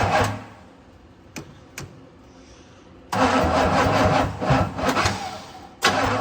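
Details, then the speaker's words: 1965 Pontiac Catalina, unrun about 20 years, new plugs and wires, timing just adjusted, charger at 40 amps: labored, uneven slow cranking that never catches; owner suspects the battery is too weak. "just a little too much hmm and I think this battery's just not gonna make it here let me try and turn the voltage up it's back up to 40 amps no I think I need a better battery"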